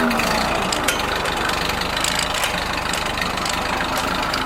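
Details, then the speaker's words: Rebuilt Ford tractor just started via ignition and button, auxiliary in standard range, idling without throttle: steady, even, strong idle, no sputtering or backfiring as it did in its first runs. "as you can see without even giving it gas the motor is nice and strong doesn't sputter and backfire like it did in the first videos i took of it"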